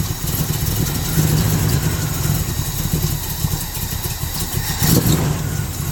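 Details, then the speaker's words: Chevrolet Monte Carlo with a Holley carburetor choke, cold start: low, slightly uneven idle with no raised start-up speed; fast idle is not engaging or barely on. "Uh, as you can hear, the fast idle is not kicked on, or if it is, it's barely on."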